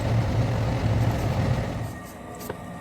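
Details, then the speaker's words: Lennox high-efficiency gas furnace, gas turned back on after a simulated no-flame failure (code one flash then three): the surface igniter lights the natural gas, burners catch with a low roar and settle into a steady rumble; normal ignition and firing. "This time the surface igniter lights up the natural gas and the heating cycle can continue."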